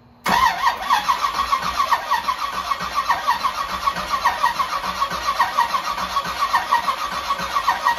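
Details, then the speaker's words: 1984 Camaro Z28 with a 355 small-block V8, Weiand 144 supercharger and Brawler 750 carb, after sitting over a year and a fuel line fix: the starter spins briefly, then it catches and settles into an even, steady lope; normal start and idle. "all right sounds good sounds pretty damn good so far"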